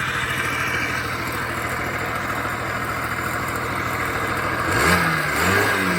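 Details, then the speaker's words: Honda Spree scooter (1986 frame, 1985 motor, 1987 head) after fitting a known good muffler in place of the plugged one, with a known good carb. Steady, even idle with clean throttle pickup and no stumbling; fixed. "i put a known good muffler on there known good carb and everything's back working again"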